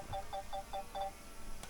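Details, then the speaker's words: DJI Mini 4 Pro drone hovering at camera height in a park: five quick paired two-tone beeps, about four per second, then stopping; obstacle avoidance warning beeps, reset by nudging the drone up. "Of course, the beeping we can hear there is the old obstacle avoidance. We'll just give that a little tweak up to reset it."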